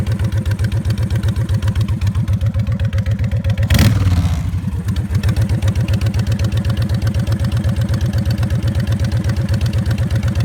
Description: Odd ticking noise that comes and goes on my 2006 Honda VTX 1300C